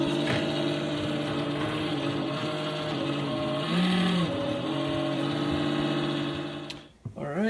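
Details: NewAir AWC-270E wine cooler: steady droning whine at one pitch with a slight wobble until the unit stops; worn 80mm 12V 0.08A cooling fan motor (TD8020LS), fixed by swapping in replacement fan AWC-FAN1.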